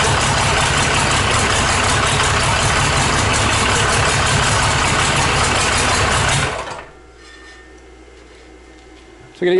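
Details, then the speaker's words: Rebuilt 5.9 Cummins 12-valve diesel, first start on an engine stand, oil pressure gauge not yet fitted: loud, steady diesel clatter at an even idle with no knocks before shutdown; normal idle. "Pretty much wanted to get it fired and make sure that idles, no knocks, had good oil pressure, which I gotta get my gauge set up."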